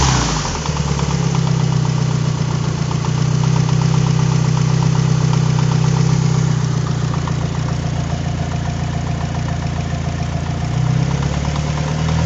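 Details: Mitsubishi Evo 4 4G63 at warm idle: deep steady drone with faint fairly regular tapping, louder up top than underneath, most evident warm with aux belt off; crank walk, rod bearings and timing checked fine; source unknown.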